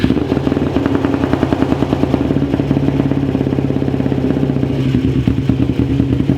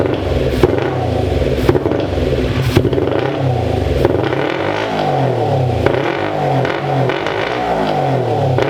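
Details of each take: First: 2001 Kawasaki Ninja 250R after a new carb bowl gasket and float height set, jump-started: the small twin fires steadily with an even, rapid beat and no misses or clatter, a healthy normal run. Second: 2001 Kawasaki Ninja 250R, carb float suspected faulty with one carb leaking fuel, run on starter fluid: the small twin revs in uneven surges with clattering and crackle and never settles into a clean idle. It runs rough and needs a carb rebuild.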